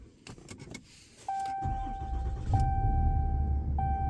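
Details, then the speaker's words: 5th-gen Ram 2500 Cummins diesel after replacing both fuel filters and priming the system three times: a few clicks, then catches quickly and settles into steady, even rumble without stumbling; normal start. "Alright, so once you've done that 3 times, then you're going to turn over the engine and hopefully it should start up with no problem."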